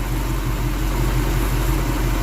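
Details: V8 engine after advancing ignition timing from zero: idles with a deep, even burble and steady pulses, no stumbles or misses; much smoother than before.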